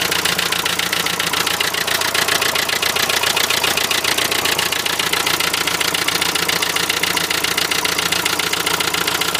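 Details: Renault Trafic van, 2.0 dCi M9R diesel at idle: sharp, regular metallic knock, a little under four taps a second; injector suspected, cause unclear.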